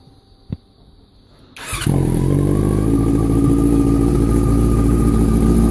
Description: R6 2004 making ticking sound from throttle body area?